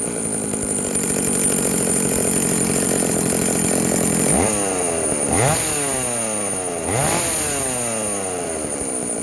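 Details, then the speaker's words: Vintage Jonsereds 70E chainsaw, bought cheaply, after a major clean-up and a gamble on an unknown cooling fan; owner thinks it is low-hour. It starts and runs with an even, high two-stroke drone, smoking from oil put down the cylinder, then three clean throttle blips. Healthy runner, fan blowing. "she's a runner she's smoking because I put some oil down the cylinder when I first got it wow that is awesome she is a runner"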